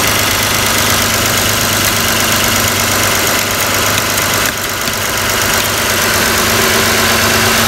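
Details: Toyota Camry 3.0 L V6 (2002–06) idling, PCV valve checked before removal: a steady, even idle with light valvetrain ticking and no hiss or stumble; the PCV valve is working. Normal idle.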